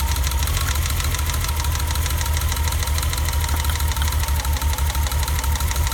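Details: BMW E30 at idle after a new distributor cap and rotor: a heavy low thump that breaks rhythm every few beats. The misfire persists and its cause is unknown.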